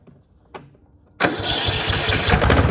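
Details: Cub Cadet mower with 424 hours, previously hard to start, after adjusting the valves to 0.003 in and fitting the gasket: quiet, then the engine catches at once and runs steadily without stumbling; normal, easy start.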